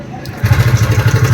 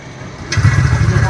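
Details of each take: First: TVS Ntorq 125 BS6 scooter, seat open, just started: quick regular clatter on the idle at about ten beats a second; worn timing chain tensioner. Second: TVS Ntorq 125 BS6 scooter after engine sound-problem repair and reassembly: starts instantly into a smooth, even low putter with no rattle or tapping; healthy idle.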